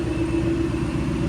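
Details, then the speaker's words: Supercharged Ford Mustang with a new built race engine and built transmission, first run in months, before a dyno session: deep, even V8 rumble with a loud, steady blower hum and no knocks or misses; a clean idle. "That blower is very loud. Haven't heard this thing run in months."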